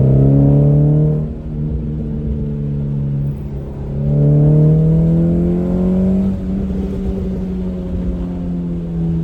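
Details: Hyundai Excel driving pull, windows down: engine note climbs smoothly through the gears with a clean, fairly loud drone, no longer raspy as before; exhaust sounds healthy.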